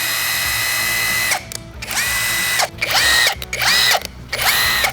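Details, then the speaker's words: Cheap 1-star Amazon cordless impact wrench on a freshly charged battery, run unloaded: short trigger bursts of a thin, high, harsh and uneven whine that rises then settles; sounds awful and rough, cause unclear. "oh that sounds awful"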